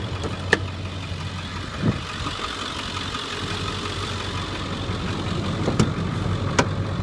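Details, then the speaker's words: Ford 7.3 diesel truck at 237,559 miles, heard under the open hood; steady low diesel clatter at idle with an even rumble and no odd knocks, idling normally. "it up, and I'm going to open the hood and let you hear it run under the hood."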